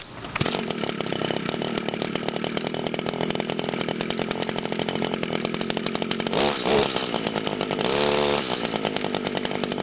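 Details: Echo SRM 2400 SV string trimmer, the oldest one still running, cold start on choke after five primes: small two-stroke catches quickly and settles into a steady, crisp buzzing run with no misfires; healthy.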